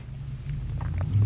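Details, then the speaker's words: Audi R8 with its muffler cut off by a previous owner: deep booming exhaust drone that swells as revs climb, far too loud and raw. "wait till this, no muffler Newton, guys. You hear that? Thanks for chopping off your muffler."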